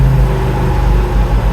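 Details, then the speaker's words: Classic Fiat 500 idling with the clutch pedal held in: a deep, rough, uneven growl in all gears and reverse that disappears when the clutch is released. "it's got a very strange noise can't quite fathom what it is just yet for check this out on all we go so clutch in put it into gear awful noise clutches still"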